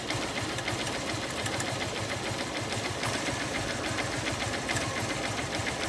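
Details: Honda Unicorn BS3 motorcycle at idle with a fast, light metallic ticking of about three to four per second that appeared suddenly. Engine ticking noise, cause unknown.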